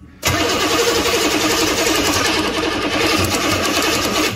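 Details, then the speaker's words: 1985 GMC Jimmy with a 6.2L diesel plow truck: starter churns the engine over at an even beat for about four seconds and it never fires, with smoke from the tailpipe; injector pump fault suspected. "That's the closest we've been to something happening. There's smoke coming out the tailpipe."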